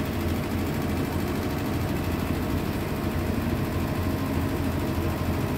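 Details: Hitachi SF-120HJ top-load washer, previously loud on spin, after fitting new 65 cm shocks in place of 66 cm: steady even spin roar with low rumble, no knocking or banging; drum runs balanced and quiet.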